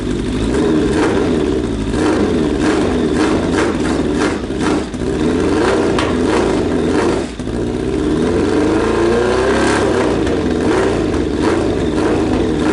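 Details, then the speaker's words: Suzuki Bandit 1200 after fitting a cheap eBay exhaust: four-cylinder blips and revs cleanly, pitch following throttle, note even and slightly muffled, a little quieter than before; normal exhaust note. "i think it muffled it just a little bit it actually quieted"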